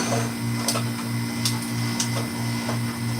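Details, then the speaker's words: Hoshizaki ice machine, previously failing to complete a cycle, entering harvest at about 30 minutes as hot gas flows: steady hum with a pulsing low throb and sharp clatters of cubes dropping; normal harvest. "so now we got the hot gas going through and we should have ice coming down any minute"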